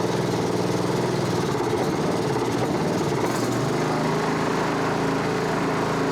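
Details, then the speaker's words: Honda HRB216 push mower (GCV160), stored a few years, new plug, cold night start on choke: single churns unevenly, pitch dipping and recovering, running slow and smoking a little oil; surging, rough running from a dirty carburettor. "Runs kind of crappy, smokes a little bit of oil, but it hasn't run in quite a while, so we're gonna just let that simmer a minute."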